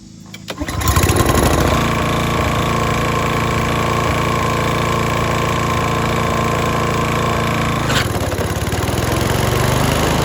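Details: Toro Timemaster mower, bought as "locked up" but actually a sticking belt, fresh gas, key start: the engine catches within a second and settles into a steady, even run with no misses or knocks; the belt still needs adjustment.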